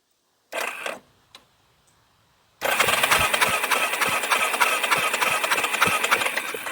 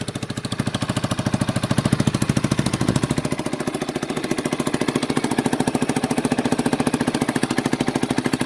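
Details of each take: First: 1989 Yamaha Big Bear 350 ATV, sat over ten years: starter churns steadily, about 200 beats per minute, but the engine never fires. Spark was lost after reversing the two CDI connectors; old CDI to be retried. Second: 1989 Yamaha Big Bear 350 ATV that sat 10+ years, first revival run on half choke warming up: steady, even single-cylinder idle with no knocking; healthy idle, though it dislikes throttle, may backfire, and possibly has an exhaust leak.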